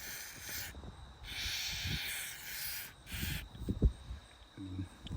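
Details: 2016 Jeep Cherokee North door hinge gives a hoarse, quacking creak as the door swings, between hissing bursts of WD-40 sprayed onto the top and bottom pivot points.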